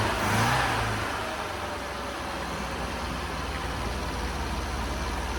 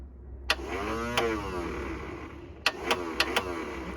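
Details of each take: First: Long-unused Scamp started with a boost pack on its weak battery; catches with a brief flare, then settles into a steady, even low idle with no knocks or misses. Owner suspects it may need a new coil and spark plugs. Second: Classic Mini Scamp, unused for ages, inertia starter motor: short bursts of weak labouring starter whirr with clicks, turning slowly, never catching; flat battery, jump pack next.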